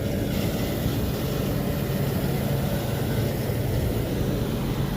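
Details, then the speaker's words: Restaurant kitchen AC unit, left-side compressor running: heavy, rough, uneven rumble with a knocking, rattling edge, plus some fan noise. Its suction line is cooling less than the other compressor's. The whole unit is judged to need replacement. "But yeah, that left side compressor is making some weird noises."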